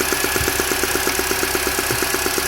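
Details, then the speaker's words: Mini Cooper S R53 at idle: a light, even popping tick about eight times a second from the top of the engine, cold or warm, not metallic; owner suspects early cam chain tensioner trouble, unconfirmed. "it doesn't sound really metally or like AIC just sounds it's popping noise coming for me"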